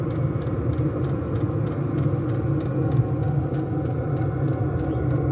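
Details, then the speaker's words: Diesel air heater fuelled with kerosene, housed in a black box pumping hot air into a house on a -3°C icy morning, run from a 240V-to-12V 30A supply on a low setting (1–3): steady low fan rumble with even fuel-pump ticking, about three per second; normal running. "I don't have it on a very high setting, like 1, 2 or 3, just to give some a nice bit of background heat in the house, and that'll just tick away all day."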